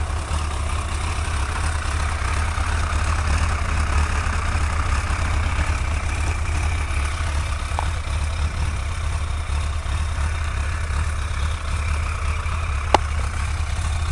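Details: GSXR 1100 motorcycle idling with a steady, even low rumble after the leaking exhaust seal that caused the ticking was fixed; no ticking left.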